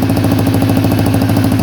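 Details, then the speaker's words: Honda XL250R fitted with a Honda CBX250 electric-start engine, new carb and exhaust manifold, first start: quick even thumping single-cylinder idle, solid low note, no misses or rattles; idle still needs adjusting; normal idle. "Wow, that sounds pretty good to me. I'll just give it one more start. I need to adjust the idle, I think."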